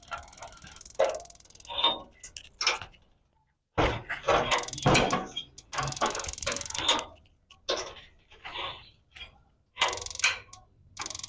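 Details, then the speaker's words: Instant gas geyser, mic held close: bursts of quick small igniter spark ticks with one big clack among them, showing the gas plunger valve is working. Normal sparking and gas valve click. "ये बड़े सारे टक की आवाज की indication है कि आपको ये प्लंजर जो है ये काम कर रहा है।"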